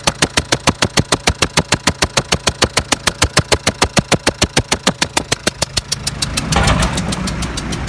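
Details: Renault Trafic 1.9: sharp even knocks about three per second over rough idle, then throttle blip; pulls normally, but strong burnt-oil smell and blowing from left side on throttle; cause unknown.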